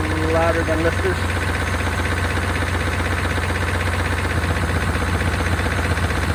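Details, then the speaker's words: 1992 Chevrolet Caprice wagon V8 parts car, sat in a field, thought seized; oil nearly new, about a quart low. Rough idle with light, quick ticking growing louder on restart; owner suspects lifters, unconfirmed. "see if we can uh fire back up and get those lifters to quiet down uh that sounds a little"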